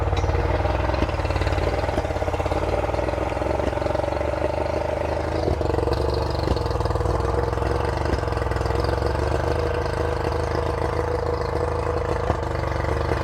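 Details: Revived two-stroke outboard on flush muffs fed from a fresh-water port: steady, slightly buzzy fast idle, still idling a little bit high.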